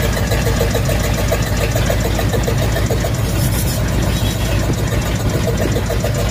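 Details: Ford/Mercury flathead V8 at idle, loud and steady with an uneven huffing beat: misfire from two stuck valves, confirmed by pulling plug wires; freed with lubricant in the cylinder.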